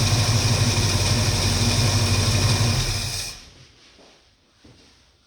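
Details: 1969 Mustang V8 idling about 650–700 rpm with choke coming off after a cold start; steady, even idle with a smooth lope, no knocks or ticks, then quiet. Healthy.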